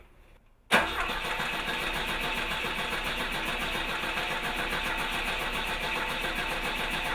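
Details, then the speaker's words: Car cranking steadily with a rapid even chug after a click but never firing; spark is still present. Suspected flooded or fouled plugs or running out of fuel (timing had been advanced to start it earlier); unconfirmed. "Still spark. Still have spark. Okay. Oh, crank it, see if. Yeah. It may be Plugs are flooded, fouled."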